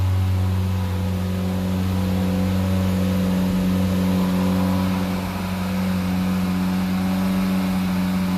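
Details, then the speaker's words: 1975 VW Scirocco with 1.8 engine, homemade electronic ignition, carbureted, first start after 34 years in storage: ragged, uneven run over a steady hum, won't settle into a clean idle; owner suspects plugged idle jet, accelerator pump diaphragm leaking. "oh but I don't own idle yeah it runs I think the idle Jet is plugged"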